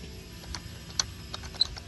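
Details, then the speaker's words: 2004 Land Rover Discovery 2 driveshaft: faint irregular clicks and high-pitched chirps from the dry, rusty centering ball (hidden fifth grease point) left ungreased; one driveshaft already ruined. "you hear that squeak so what that squeak is is there's the ball see the ball joint there see how it's kind of dull and murky musty looking it's because there's rust on there and it hasn't been greased"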